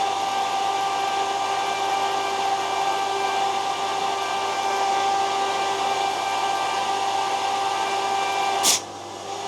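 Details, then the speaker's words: Borehole well pump for a new house's water supply, started after winter with two filters installed and a valve opened. A constant motor hum with an even-pitched whine runs until shutoff and water flows, so operation is normal. "Так, ну что, запускаем. Ну, сразу водичка. Вода пошла."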